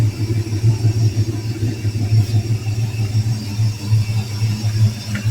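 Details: Vehicle started after alternator install and front wiring work: deep, lumpy but even V8-like idle rumble, steady throughout with no knocks, misses or squeals.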